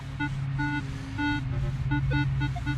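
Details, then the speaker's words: Minelab Equinox 800 with 15-inch coil in open field; constant irregular beeps and warbles over low hum in multi-frequency mode, far quieter at 10 kHz; noisy chatter in multi mode. "Can you hear how noisy that is? Now watch when I go to 10 kilohertz. Way quieter."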